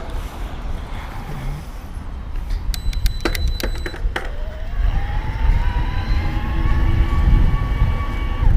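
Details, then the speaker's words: Shimano STEPS E8000 mid-drive motor on a BULLS E-CORE EVO AM Di2 27.5+ e-MTB, rider pedaling at high cadence near 120 rpm: thin whine climbing in pitch over wind and chain noise, normal whine though assist fades above 120 rpm. "so I can still hear it whining but it's really not giving me a whole lot of support above 120"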